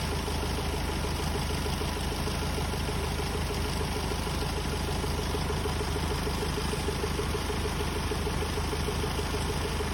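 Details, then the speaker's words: Hyundai Starex D4CB diesel, very hot engine, checked for smoke from the breather and valve cover: steady idle with an even light clatter and no knocks; only slight smoke and oil spatter, judged normal. "So ito nga mga boss nakita natin ah konting-kunti lang ang usok na lumalabas at may konting talsik na langis. Normal lang ito mga boss kapag mainit na ang makina."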